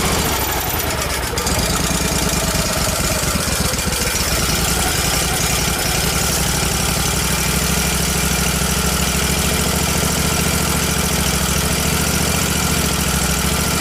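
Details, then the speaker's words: Miller Trailblazer welder petrol engine with crankcase-vacuum-operated fuel pump: rough, uneven hunting running with no settled idle, better when choked; running lean, owner suspected vacuum leak or fuel delivery. "I think it has a vacuum leak between the carburetor and the and the engine because it's just getting too much air"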